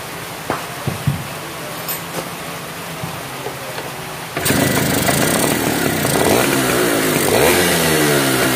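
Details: Yamaha V80 two-stroke after repair of a compression leak at the cylinder head and replacement of a worn fuel part that let petrol seep: after a few clicks it fires and holds a steady, healthy buzz with no popping.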